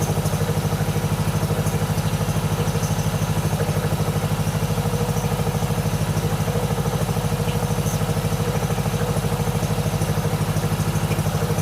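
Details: 1997 Mastercraft (MTD) 38" lawn tractor, 12.5hp Briggs & Stratton single, parked outside for years, on choke from a hose fuel reservoir while low on oil: steady even putter at fast idle, regular beats, no misses or knocks; healthy idle.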